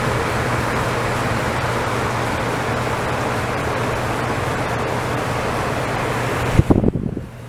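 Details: DE-N35FY clothes dryer after a fix for a bad abnormal noise: belt replaced, disassembled, cleaned and oiled. Even, constant hum and tumble with no squeal or knock, then a soft thud as it stops; running normally.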